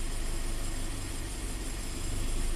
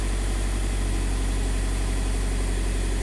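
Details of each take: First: 2015 Scion FR-S 2.0L direct-injected boxer, code P000A, low power and limp mode. Commanding bank 1 intake cam timing to 23 gives actual angle oscillating between 10 and 30. Deep, uneven, loping idle; intake cam solenoid is suspect. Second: 2015 Scion FR-S (Subaru BRZ), 2.0 L direct-injected boxer, after swapping in a new bank 1 intake cam solenoid, warming up; smooth, even idle at a steady low beat with no misses, stumbles or knocks; engine running healthy.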